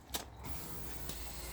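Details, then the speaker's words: BMW E39 525d 163 hp, newly replaced auxiliary fuel pump (Polish brand reported as noisy), engine off at key-on: loud, steady electric buzz; owner says the old pump made this noise too; normal priming. "Ouais, ça faisait ce bruit quand tu tournais la clé."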